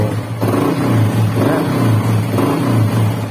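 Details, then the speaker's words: Honda XRM125 engine after rebuild, freshly assembled, needing warm-up and break-in: low, even note with three smooth throttle blips, no knocking or rattle; earlier grinding noise gone, normal revving. "So ngayon, ayos na mga bro. Okay? Okay mga bro."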